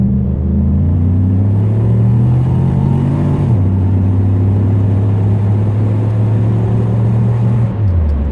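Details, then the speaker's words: Loud, deep V8 exhaust drone rising with speed with a raw, unmuffled edge from an exhaust leak, heard while driving a Pontiac GXP daily driver back on the road after repairs; displacement on demand still active. "definitely hear that exhaust leak that thing's loud but it sounds cool on Startup"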